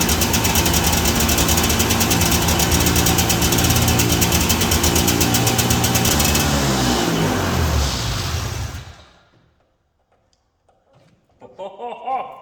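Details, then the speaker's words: 1982 John Deere Liquifire 440 liquid-cooled two-stroke barn-find snowmobile: stays at a high steady buzz then winds down slowly instead of dropping to idle; partly broken throttle cable hangs up on high idle after revving. "The throttle cable is a little bit broken, so it's hanging up. Every time you rev it up, it kind of hangs up on high idle."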